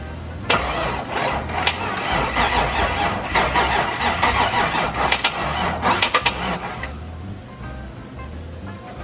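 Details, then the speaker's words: C5 Corvette Z06 50th anniversary, about 50,000 miles, after replacing injectors with Siemens Deka 80s: cranks and catches at once, settles into a steady fairly even V8 idle, then shuts off; runs again. "So what we did was replace the injectors with a Deca 6 or Deca 80s, Siemens Deca 80s, and she's firing, she's running, and we have not figured out how she's going to run yet."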